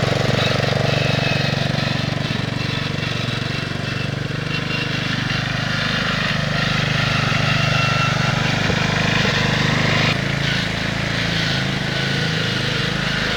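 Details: 1969 Bolens 850 tractor, Wisconsin S8D 8.25HP single-cylinder, run after carburetor initial adjustment while tuning points: revving hard, busy uneven rapping over exhaust at high speed; knocks badly at high RPM, idles poorly, smokes; cause not yet pinned down.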